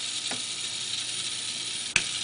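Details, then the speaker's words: Comfort Zone 9-inch three-speed cradle fan with aluminum blades, run on low, medium and high: steady airy hiss, weak with no powerful motor hum, plus a fine ratcheting scrape and sharp ticks; grinding, scraping noise as it turns. "And in addition to not being loud, there's some kind of grinding, scraping, scratching sound coming from it, which is unpleasant."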